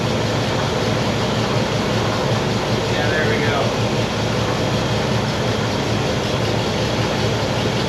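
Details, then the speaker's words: 1960 Pontiac Bonneville V8 with AFB carb, after dwell corrected: steady even low rumble at slightly fast idle, no misses or stumbles; now smooth and not overly rich, normal. "and i got it idling a little bit high but now it's nice and smooth and not overly rich"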